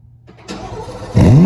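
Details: 2024 Chevrolet Corvette C8 Z06 cold start: starter churns briefly, V8 catches with a sharp rev flare settling toward a fast idle; healthy cold start.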